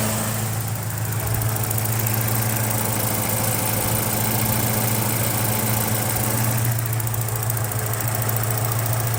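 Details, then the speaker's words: 1986 Porsche 944 Turbo, 2.5-litre turbocharged four-cylinder rated at 217 hp, about 125,900 miles, recorded close to the engine with the hood open: a steady, smooth idle with a low even hum and no ticking or misfire, healthy. "So here we go, getting in close to the engine here at idle."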